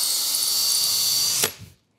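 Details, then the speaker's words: Hercules HC92K1 20V hammer drill on a depleted battery, clutch set to 19 of 19, sinking screws: steady high-pitched whine under light load, cuts off cleanly and spins down; normal drill operation. "the Chuck settings go from 1 to 19 and now I'm on 19 that is sinking screws definitely nice this feels good I like this"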